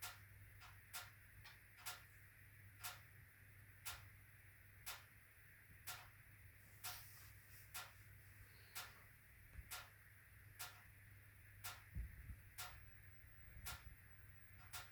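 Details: HWAM Wiking Mini 2 wood stove, warranty replacement after factory air-control adjustment: sharp ticks and bangs about once a second, persisting through the burn; owner suspects bimetallic coil spring hitting a mechanical stop, not confirmed.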